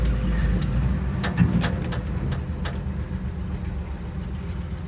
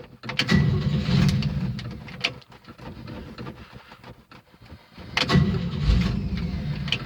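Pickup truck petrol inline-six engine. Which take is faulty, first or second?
second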